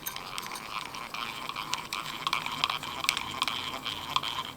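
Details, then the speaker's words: Abu Automatic 170 spincast reel whose gears once rode on top of each other and were filed afterward: rapid scratchy, uneven rasping "rawr, rawr" while reeling, gear chatter, mild compared with some reels. "You can hear that little rawr, rawr, rawr, rawr. Okay, that's what we call gear chatter."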